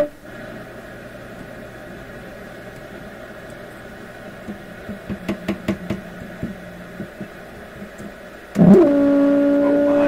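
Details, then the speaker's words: PYE 39HC shortwave receiver on AM with the antenna on the shortwave input, before a 6V6 tube swap: after some clicks a loud steady howl at a fixed mid pitch with a higher overtone, suspected audio feedback, cause unconfirmed. "okay we'll do the tube change now even in the midst of all this craziness so let's let's get a oh feedback"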